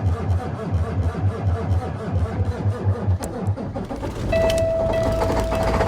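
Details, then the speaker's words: Cummins ISX871 heavy diesel cold start at 11°F after sitting outside for days, no ether; cranks in uneven pulses, catches and runs loud with sharp pinging from advanced cold timing, normal. "but it took off and it went and you when the engine started you could hear the advanced timing it was really pinging"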